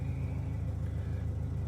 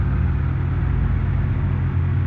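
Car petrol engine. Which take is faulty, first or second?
second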